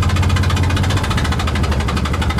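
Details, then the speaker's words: Invacar twin-cylinder engine after a spark plug blew out on the road: loud, lumpy low chuffing with a coarse pulse about ten times a second while limping home on one cylinder. "see if I can limp back on one cylinder at least to the top of the next hill and then maybe I can coast into town"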